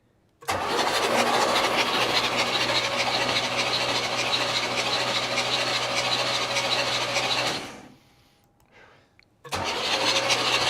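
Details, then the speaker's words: 1969 Buick Riviera GS, sat about 30 years, first cranking attempt: steady, even starter cranking with regular compression pulses; the engine turns over well and is not seized. "okay sounds like it's turning over pretty good"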